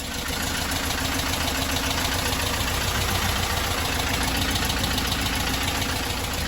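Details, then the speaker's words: 1968 Porsche 912 air-cooled engine after intake valves were set to 0.004. Loud, lumpy idle about 3.5 beats a second that won't settle. One carb has worn butterflies; the carbs are to be rebuilt, hoped to cure the rough idle. "carburetors off i'm gonna have them gone through and rebuild so yeah hopefully this is gonna cure the funky idle issue and just overall help this thing run"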